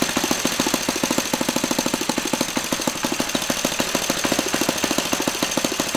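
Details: Laser 100 single-cylinder RC model engine, first run after 15 years without cleaning: running fast with a harsh metallic clatter, roughly three knocks a second over the buzz. The front housing came loose; after rebolting it still clanked and knocked.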